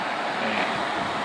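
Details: Evaporative air cooler fan that knocked when standing upright, after disassembly and repair, running on speed 3: a smooth, even airy hum with no knocks or thumps, so the fan now runs quietly and normally.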